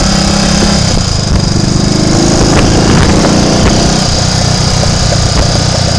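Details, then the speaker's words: Triumph Tiger Cub single-cylinder trials bike under way, with a carburettor that had just flooded: it stumbles and stutters as firing drops out and picks up again; a misfire, with dirt or water in the main jet area suspected. "Misfire. I don't want to get stuck on the Roman road in that dip, so we'll go home this way."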